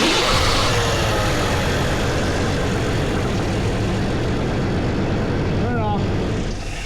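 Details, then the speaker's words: Square-body Chevy Blazer, first run after 20 years off the road: short rough run with loud, uneven clattering and banging about four times a second, like the fan and everything else hitting something; source unclear, owner thinks it's fine. "It sounded like the fan was hitting something and everything else was hitting something. It just didn't sound pretty."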